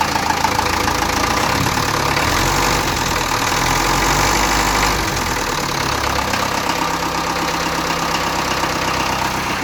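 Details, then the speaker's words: Land Rover Series 2A 2.25 diesel just after cold start following a month sitting: steady even clatter, idle set slightly up on the hand throttle after dropping low, no misses or hunting, next to no smoke; running healthy. "good idol's gone down a little bit low just not it up a bit on the um the hand throttle yesterday"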